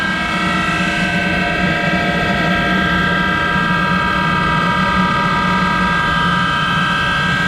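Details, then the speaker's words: Monarch 10EE lathe, extremely worn, with its original drive. The motor-generator set is started by hand with a stick because the switch coil is not working. It gives a loud, steady hum and whirring roar, and its bearings are very loud from wear. "let's start the motor generator and you can hear those parents are very loud"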